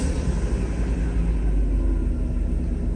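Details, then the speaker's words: Mercedes 500SL V8 cold start at night, idle not yet tuned: deep, even low rumble with no knocks or misses as revs settle down; normal operation, slight vibration noted to deal with later. "you can see the idle it's going down that's normal operation I have not tuned it yet there's a little bit of a vibration but I'll deal with it later"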